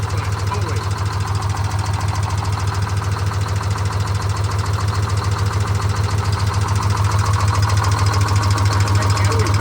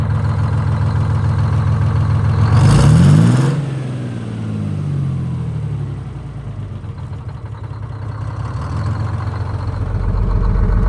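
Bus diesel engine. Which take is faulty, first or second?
first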